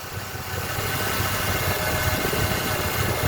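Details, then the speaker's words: 2008 Pontiac G6 3.5 V6, about 130,000 miles, hot idle while bleeding air from the power steering pump: fairly even running with only a faint pump hum, sound fading as air vents; minor wear noise from pump internals remains. "The sound is getting fainter. It's taking some time."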